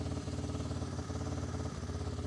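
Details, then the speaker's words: 1988 Honda FourTrax TRX300 single-cylinder, warmed up, owner thought it needed a carb clean; idle thumps and drifts, won't settle, idled too high and dropped when choked; possibly too much fuel, suspected not confirmed. "see the idoling is just all over the place"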